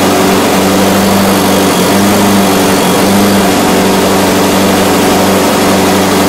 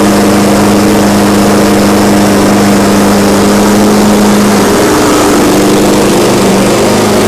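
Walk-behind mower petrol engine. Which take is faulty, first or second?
first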